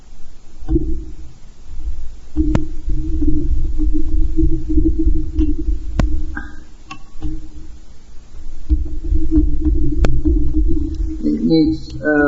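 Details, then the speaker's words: Homemade manual self-guiding coil winder: low groaning drone swelling and fading with each handle turn as the tight, dry rubber bar drags; very sticky, run back and forth to ease it, needs axle grease. "But it is very sticky right now. I just run it backwards and forwards until it eases off."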